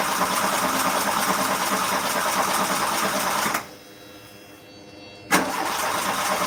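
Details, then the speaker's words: Car engine that hadn't started in about a year, now finally running: rough uneven beat with loud coarse hissing and brief dropouts; owner suspects a massive air leak, like a hole or exhaust escaping, not yet found. "Okay. Right. I need to find this bloody air leak, man. I think it's got a massive air leak as well. Almost like it's a hole in it. Almost like the exhaust is coming out of it or something. Sounds absolutely awful."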